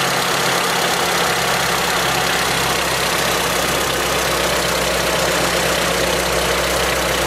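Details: Honda B18C engine with CP pistons at cold idle: faint rapid knock riding the engine note under a loud hiss, going away when warm; owner suspects piston slap.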